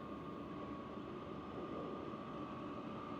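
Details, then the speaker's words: Vevor diesel heater after a sound-dampening mod, running at level eight with about 220° inside: a quiet, even blower rush with the fuel pump ticking inaudible. Normal running. "I don't hear the fuel pump at all the only sound is the blower"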